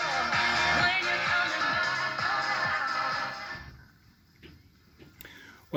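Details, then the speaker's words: Pioneer KEX-23 car stereo speakers after repair, old foam suspension removed and repaired with Copydex latex adhesive, unmounted on bench: radio music full and clear, no rattle, buzz or scraping cone. "sounds pretty good to me so i think we have a result here and i hope the owner will be happy while the speakers sound good here they're going to sound even better when they're fixed to baffles or enclosures"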